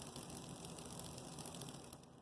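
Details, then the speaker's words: Rebuilt Bachmann GP30 pancake motor after the gear faces were sanded and smoothed on a lathe, lubricated, and two gears shimmed with thrust washers; it now starts at about 5 volts instead of 7 and spins smoothly with faint light gear clicking, which is normal. "You can hear the little clicking sound, but that's not bad because if you're looking at the gears,"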